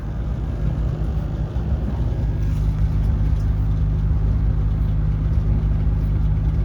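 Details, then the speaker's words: Apartment dryer's booster exhaust fan, pressure-activated, behind the unit with a lint-full secondary trap: low steady droning hum with a faint uneven throb; vibrating, not too bad, probably lint buildup. "Vibrating. It's not too bad, but there's probably a lot of lint on there."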